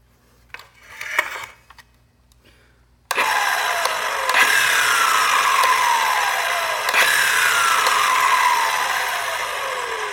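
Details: Milwaukee Fuel 7-1/4" circular saw after several cuts in 2x4 lumber, with several batteries at full or half charge: spins up with a harsh whir, then pitch sags and winds down twice; won't start properly and stalls easily.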